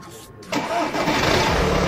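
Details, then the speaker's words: Warm PD pump-injector diesel after the ECU hot-start map was modified: a very brief crank, then it catches almost instantly and settles into an even idle; the warm start is now easier and softer. "Un, protams, arī pie 90 grādiem daudz vieglāk un mīkstāk iedarbojās dzinējs."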